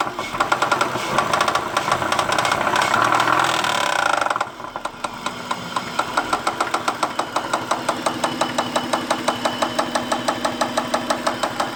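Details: 2001 Acura engine at idle: after a brief louder stretch, a crisp even tick about three per second over the idle; source not pinned down.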